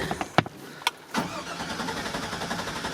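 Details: 2001 GMC Sierra with crank-no-start: a few sharp taps on the fuel tank, then the engine catches and settles into a steady idle; starts only after tapping, pointing to a sticking fuel pump.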